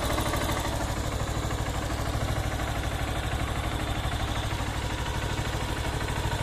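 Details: Honda CB190R single idling, valve area, on 20W-50 full synthetic oil plus Lucas oil stabilizer: steady, even low pulsing about three per second with no loud ticking; valvetrain quiet, idle healthy.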